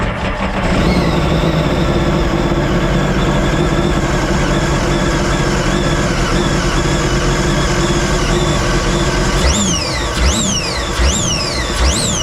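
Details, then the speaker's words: 2017 supercharged Sea-Doo RXT-X 260 jet ski restarted inside the shop with water in the intercooler: a rough, uneven run with loose, irregular beats under the drone; the intercooler water causes the misfire the owner felt riding back. "he drove it back and he had had a little misfire well there we go body in a cooler would give you that symptom like a misfire now you know"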